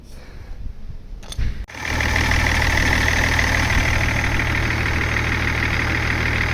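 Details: BMW E39 530d diesel fitted with a new belt pulley and belt: starter whirs briefly, then a steady, even diesel idle with no squeal or knock; normal idle after repair.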